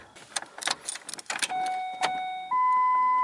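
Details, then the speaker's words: Ranger, key on, first start after engine reinstalled, fuel sitting in the tank a long time: a few clicks then a steady electric hum rising in pitch and holding; fuel pump priming normally. "You can hear the fuel pump going."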